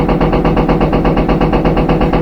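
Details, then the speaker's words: Empty front-load washer on a high-speed spin: steady loose banging from the back about ten times a second, keeping pace with the drum, from a worn rear tub bearing. The noise may fade at certain rpm; the machine is usable for light to medium loads for a few months. "but that's how you know you have a bad rear bearing a certain rpm sometimes that noise will go away"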